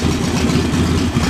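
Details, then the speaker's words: Single-cylinder idle on newly installed JS flatside carburetor, low and lumpy, steadying into an even beat as the air mixture screw is opened to about a quarter turn out; rough idle smoothing out. "here it's starting to smooth out quarter turn don't know one turn s to get rough again back to about a quarter turn out"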